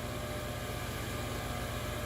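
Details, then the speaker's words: 12V RV water pump on homestead water system running continuously: steady motor hum with even pulsing throb that never shuts off, though expected to run only when water is turned on; pump running nonstop. "The fan seems to be running for a while, and it's kind of a lot of power coming from this thing"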